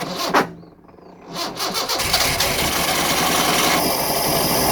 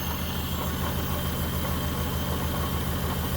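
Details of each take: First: 1974 Honda Civic series 1, 1.5 L carbureted engine, project car started with the choke on: a few cranking turns, then it catches and settles into a steady, even idle; a little smoke, possibly oil. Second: 1974 Honda Civic series 1, 1.5 L engine at idle: lumpy, uneven beat with regular stumbles, a misfire; the owner suspects a spark plug lead, the spark plugs or possibly still the head gasket.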